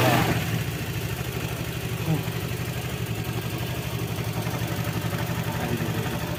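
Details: Honda Vario 110 carburetor scooter with morning no-start problem, after new vacuum hoses and new choke: starts and settles into even low putter, about four pulses a second, no misses; fixed for now, unsure about tomorrow.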